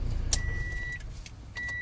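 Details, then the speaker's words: Toyota Vios that would not start, after fuel pump and filter replacement: brief crank then catches immediately and settles to a smooth steady idle; no-start fixed by new fuel pump. "Okay na itong Toyota Vios na ayaw mag-start. Yan fuel pump ang problema. So solve na ang problema ng customer. Umandar na yung unit."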